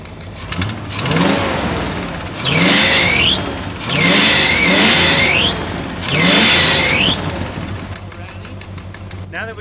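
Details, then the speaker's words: 1974 International Harvester 500 farm truck on propane, revived after 17 years abandoned: engine climbs cleanly through three quick throttle blips and settles back to idle without stumbling; normal free revving. "we got it running right I can give her the beans she revs up"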